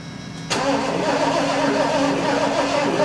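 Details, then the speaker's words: 1974 Lincoln Mark IV parked 36 years, electronic ignition with dual spark boxes, being revived with fuel dribbled in: starter churns steadily about three or four beats a second but never fires; suspected weak spark/low voltage, not confirmed. "All right, hold up. We ain't got no spark. >> I don't think we got enough I got enough spark. I don't think we got enough voltage."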